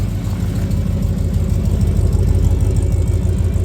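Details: 1994 Ford F-150 V8 after oil pan gasket replacement (earlier missing on passenger side; oil pressure sending unit failed): deep, even exhaust rumble at steady idle with no misses or knocks; normal idle; owner thinks he hears a leak.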